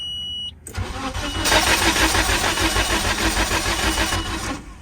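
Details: 1997 Nissan Sentra, no-start after an alternator replacement: starter cranks steadily about three times a second for four seconds, but the engine never fires; crank-no-start from weak spark through bad plug wires.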